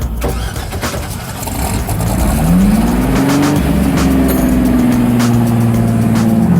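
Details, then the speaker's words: Rotsun race car at 24 Hours of Lemons after the crew dialed in the engine: revs up cleanly and holds a smooth, steady pitch with no misses, pops or rattles; normal, strong revving, never run this good before. "the crew got the engine dialed this car has never run this good before"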